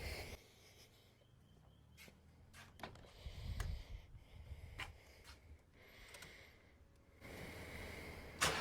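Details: Ford EL Falcon Futura, off the road for years, started after repairs with water instead of coolant in the system: brief crank catches into a quiet, even idle with no knocks or rattles; normal start and idle.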